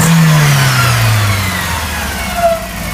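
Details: Golf 1 petrol engine revving up and settling with a rough, uneven pulse; head gasket blown between two cylinders.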